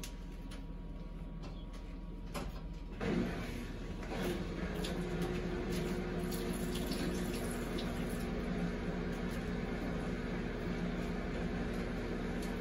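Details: Samsung Eco Bubble WD106UHSAWQ washer-dryer on a 2-hour timed drying of a blanket, panel sitting at 1 minute remaining for several minutes: steady low hum with soft uneven tumbling of the drum; normal drying cycle.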